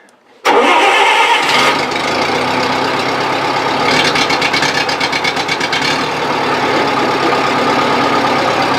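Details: 1970s Bobcat 610 skid steer, cold start on choke: cranks briefly, catches within a second, settles into steady, slightly rough cold idle; starts and runs fine.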